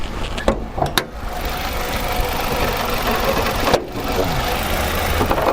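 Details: Nissan Altima caught acting up: engine idles unevenly, shaking and stumbling as the misfire comes and goes; unplugging a coil makes no difference; misfire at idle attributed to a failed ignition coil.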